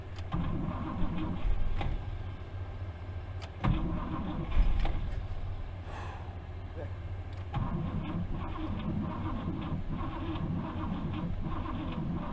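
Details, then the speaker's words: 1964 Buick Riviera that sat 23 years in a field, tried with extra current and a little gas. Uneven cranking with brief firing bursts that die each time it catches; the worn starter's bendix disconnects as soon as it fires, so the starter must come out. "all right so the starter is just too too bad too too far gone as soon as the engine starts to fire the Bendix disconnects and just won't go"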